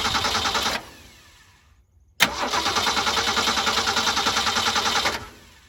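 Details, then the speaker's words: Project T-Code after radiator replacement, cooling system burped of air, fan belt tightened: cranks, catches, settles to an even steady idle, no knocking or squeal, hops around less; normal start and idle. "So now we got the engine running. Notice it doesn't hop around as much anymore."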